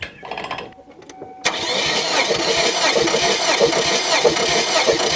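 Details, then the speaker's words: 2001 Kia Sportage, 100,000 miles, after the timing chain broke, cranked with spark plugs removed for a compression test: fast, even cranking whir, no stumbles, reading about 175 psi, very good. "okay you got about 75 about seventy-five 175 psi there that's very good"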